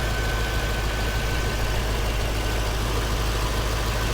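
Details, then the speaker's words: 2006 Pontiac GTO, stock 6.0 L LS2 V8, unmodified with stock airbox, exhaust and manifolds: deep, steady, smooth idle burble with no knocks or misses, a healthy idle. "6 liter has a really healthy idle sounds good feels good to drive"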